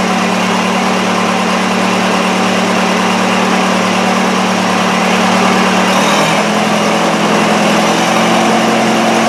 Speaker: but it seems to be running okay. So, we're just going to let it run and get rid of that. But the engine seems to run beauty.